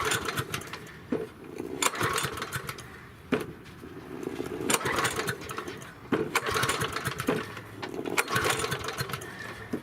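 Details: Yard Machine 6 HP 21-inch lawn mower that sat over a year without starting, now running after repair: small single-cylinder engine with a rapid buzzy beat, rising and falling slightly every second or so; normal running.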